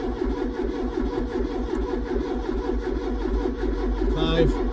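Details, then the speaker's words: Ford Cortina P100 after seven months unused, battery recharged from 7 V, full choke: starter churns steadily about 2.5 beats a second but never fires; fuel starvation, fuel not reaching carb, lift pump uncertain. "might go suck on a fuel pipe make sure there's fuel at the cab cuz that should have come through by now shouldn't"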